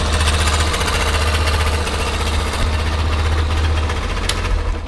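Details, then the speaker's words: Yamaha Factor 125 single after valve rocker adjustment: idles with a quick metallic tapping over a low, throbbing exhaust beat. Something seems to be knocking near the exhaust pipe or possibly inside; cause suspected, not confirmed. "Vou tentar localizar esse barulho aqui, ó. Tá batendo alguma coisa aqui, ó."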